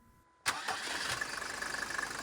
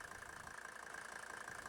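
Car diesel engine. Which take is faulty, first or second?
second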